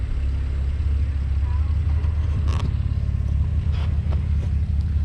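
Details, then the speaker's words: 2007 Jeep Wrangler JK with stock gears, six-speed manual and a 3.5-inch lift, on new 35-inch Milestar Patagonia mud tires on 17-inch rims. Low engine rumble with intermittent scraping as the suspension articulates. The tires rub the fenders, which need cutting. "i'm rubbing so with all the rubbing hear that that's tires rubbing it's time to cut my fenders"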